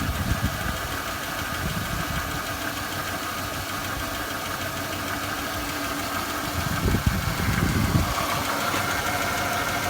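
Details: 2006 Chevrolet Impala LT 3.9L misfiring at idle with uneven, lumpy stumbling thumps as a cylinder drops out; codes P0010 and P0306, misfire clears under load but sometimes returns while driving; cause not found.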